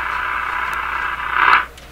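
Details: General Electric KL-70 6-band AM/SW radio, restored five years ago with problems left unresolved, first switched on: steady hiss with no station or voice, only a swell of noise when tuned. The AM band isn't receiving; cause not confirmed, possibly band push-button settings.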